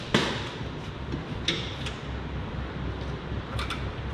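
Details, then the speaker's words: John Deere 455G crawler loader, battery disconnect on, key turned: sharp relay clicks over a low hum, no cranking; 12 volts reach the starter and it still won't turn with a jump pack, so the starter motor has failed. "oh you hear that click the relay's clicking bud time to get some testing equipment out"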